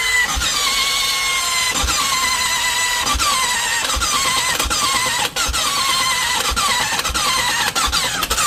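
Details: 2016 BMW F800GS motorcycle: sharp clicks about every 0.6 seconds, each trailing off into a falling whine, and it never fires; strange noise and no start.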